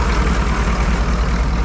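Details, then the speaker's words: 1985 Chevy K30 4x4 rollback wrecker: after freeing a stuck injection timing advance arm with penetrating oil, it idles low and even with no smoke or hunting. It had been way over-advanced, and the arm still doesn't fully return on its own. "look no more smoke perfect it was just way over Advanced"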